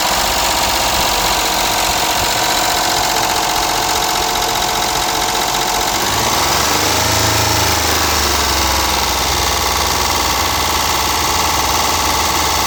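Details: Mitsubishi Montero idling: rapid, sharp tick or slap through a bright, clattery mechanical noise; owner suspects stuck valve lifter or piston slap, not confirmed.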